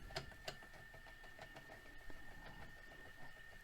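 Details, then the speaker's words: Famous vintage VCR in fast forward: thin steady motor whine with irregular sharp pops and ticks from the slipping worn idler tire, which also makes rewind struggle; idler tire slippage popping. "And you can kind of hear it popping around in there due to the slippage of that tire."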